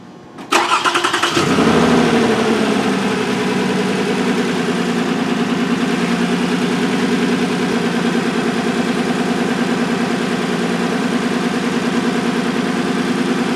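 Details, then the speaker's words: 2006 Toyota Solara V6 with cylinder 1 misfire: engine catches and settles into an uneven, lumpy idle; misfire from a shorted rear-bank ignition coil under the intake plenum, confirmed on scope. "I'm gonna throw a filter on my trigger stop it so you're able to see right here you have a shorted ignition coil"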